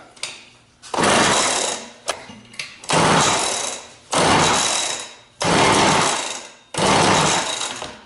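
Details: Rebuilt McCulloch 6-10 chainsaw, with points adjusted, spark confirmed and carburetor set, on a first start with a dab of fuel in the cylinder and choke on: short ragged one-second bursts that fade as it sputters without catching.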